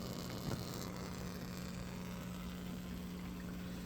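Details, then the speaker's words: Aquaponics flood-and-drain growbed draining: steady low drone at one even pitch, no surges or gurgles, as water flows normally back into the sump. "Now, if you can't hear that, hear that noise, that humming noise, that's the water going out back into the sump."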